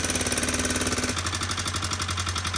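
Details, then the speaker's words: Honda FourTrax 300 ATV after turning the idle down, choke used to start; fast light regular tick over low idle thump, felt at the top end; owners suspect intake valve slapping, not confirmed; top-end tapping. "Now that it's down, it kind of sounds like it could be the intake valve."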